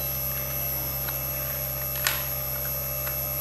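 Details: Daikin R32 air conditioner running with a 220V fan modification, set to the lowest 18 degrees after reading error E7; a steady low hum with a faint high tone and one sharp click, fan and compressor running evenly with no rattles.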